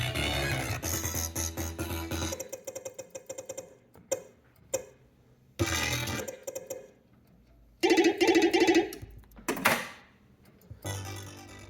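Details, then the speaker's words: Funhouse pinball machine soundboard after recapping and a new op amp: game music with harsh crackly fuzz on every note; scratchy, distorted audio output, cause not yet found. "So that did not fix the problem. I don't know if you can hear that. Just all scratchy. Recapped it, new op amp. Don't know what it is."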